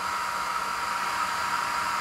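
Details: Mecpow X3 Pro 10 W laser engraver at first switch-on with no file loaded: steady airy hiss with a thin, even tone near one kilohertz, no pulsing or rattle. The laser module fan is spinning normally.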